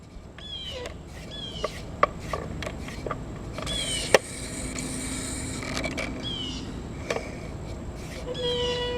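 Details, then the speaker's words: Crosley Stack-O-Matic record changer cycling with the overarm down: short high chirping squeaks and mechanical clicks from the tone arm rubbing the elevator; probably lack of lubrication, something not greased well enough from the factory. "all right I'm hearing a little squeak there so we got to see what's rubbing and fix that probably probably lack of lubrication"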